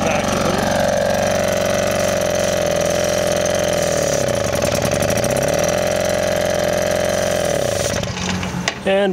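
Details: Morini M02 two-stroke engine on a Malaguti Pilot moped buzzes with an uneven idle that sags and recovers, caused by a vacuum leak.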